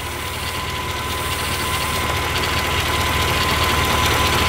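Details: Mercedes CL500 engine at idle; thin, steady high chirp over an even idle, fading toward the end, squealing accessory-belt idler pulley.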